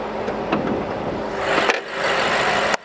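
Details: 2018 BMW X6M after repair of a misfiring engine (cylinders 5–8, low compression), with valve lapping done: engine settles into a steady, calm idle with no misfire or knock amid shop noise; may run slightly rough until valves bed in.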